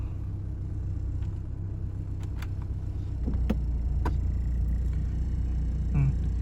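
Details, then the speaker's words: BMW E36 with M43 engine idling with AC on after an extra gasket fixed a throttle-body vacuum leak and the idle position was reset; low even rumble dips slightly as AC load comes on, then holds steady. Normal stable idle. "Idlnya masih okelah, masih stabil. Agak turun dikit tapi masih okelah."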